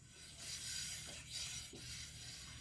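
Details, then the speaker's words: 701 Supermoto front brake that pulses in turns and hard stops despite bleeding, ABS off and new pads: soft scraping swish about every three-quarters of a second as the wheel turns, louder at one spot, rotor rubbing; fixed by replacing the front disc. "you can hear it rubbing more so at one spot than another"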